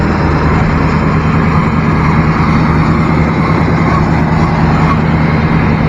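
Loud, deep, steady V8 rumble with a gruff exhaust growl at idle, pointing to an altered or aftermarket exhaust rather than a fault.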